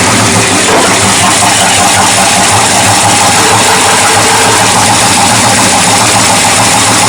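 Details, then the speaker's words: 1979 Ford Dentside truck V8, new carburetor, floats adjusted, choke open: loud ragged lumpy idle with carb hiss; owner doubts a vacuum leak, suspects ignition timing still off. "yeah I think timing's still off I don't think that's vacuum late I think that's just a suction from the carburetor actually I am pretty sure we still have timing issues"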